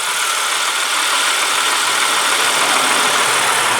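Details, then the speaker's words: 1995 Oldsmobile Cutlass Ciera 3.1L V6 with automatic transmission at idle: faint, quick ticking of mild valve train noise from the top end, no low-end knock. "good news is there is no lowend noise in this motor I got to be honest I do detect I can hear a little bit of valve train noise let me shut up for a minute see if you can hear"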